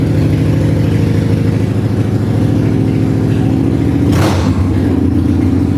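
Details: 1995 Harley-Davidson Bad Boy Evo V-twin, revived after sitting, carb and vacuum-leak fixes, started on choke; even, lumpy steady idle with no knocks or misses, sounds good. Normal idle.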